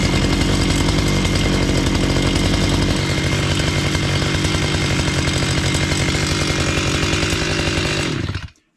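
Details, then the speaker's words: Repaired chainsaw started cold, running without its air filter: it settles into a steady, even two-stroke idle with no stalling or hunting, though it is smoky; the idle problem is fixed. "So I won't run it long because it gets so smoky again. But as you saw now I have idle just as I said."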